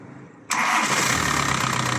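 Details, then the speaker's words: Diesel engine after cylinder head (culasse) work and correct timing: catches quickly and settles into a steady even idle, no knocking; earlier tick came from wrong timing, now normal sound. "هذا هذا الصوت الطبيعي اع لدي هذا الصوت الطبيعيع لدي بوان صحيح"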